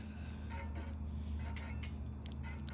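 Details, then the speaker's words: Bicycle disc brake pads rubbing the rotor after installing new disc brakes, heard as light, rhythmic scraping ticks while the wheel spins; fixed by setting the pads with a brake pad spacer tool. "brake pads rubbing on the disc this is the best thing ever you can pick up these little devices at Walmart"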